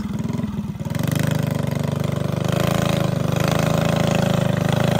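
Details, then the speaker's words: Freshly built Predator 212cc single with stage 5 big-valve head, 310 cam, billet parts and new carb, first start, choke on, freezing night, not yet broken in; catches after a pull and holds a steady, even low thump at idle without misses; normal idle. "It sounds so good. Oh my goodness, this thing sounds insane."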